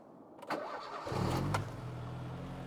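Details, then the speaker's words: 1980s Italian car with its bad earth rectified, cold start: a brief crank, then it catches within about half a second and purrs into an even, steady idle; a clean cold start. "on the button and it's cold and she purrs ticks over"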